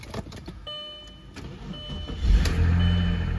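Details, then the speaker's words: Old Audi A6 jump-started after sitting over a year, on a warm 75-degree day: starter cranks a couple of seconds, then the engine catches quickly and settles into a strong, even rumble; fired right up, a healthy start. "Ooh. There she goes. Fired right up. I mean, it's been a minute."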